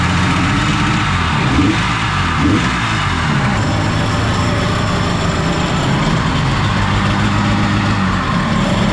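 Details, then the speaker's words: 1994 Kawasaki 750SX two-stroke jet ski, about 30 years old, revived after years unused: throttle feathered to start, then a steady, even burble with no misses. Cooling water back on and splashing, brown water flushing out, smoky oil/gas mix. "I just feathered the throttle a little bit to see if I could get it a couple extra squirts of gas so it started to fire Jack turned the water back on we'll see how it goes now"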